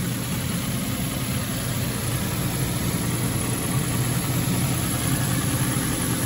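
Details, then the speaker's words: 2010 Nissan Xterra RWD idling while warming up, no warning lights on: smooth, even low idle with a steady rumble, no weird ticks, knocks or belt squeak; engine running well. "engine seems to be running well no no weird ticks or a belt squeaking or anything like that"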